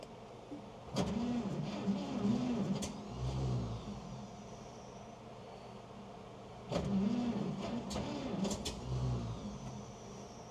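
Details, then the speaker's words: Old Chevy truck, possibly the 1927, after sitting unrun: two separate bursts of slow cranking, each dying without catching; hard starting, needed more gas and choke before it finally fired. "yeah she do like don't want to start there she goes o well more gas"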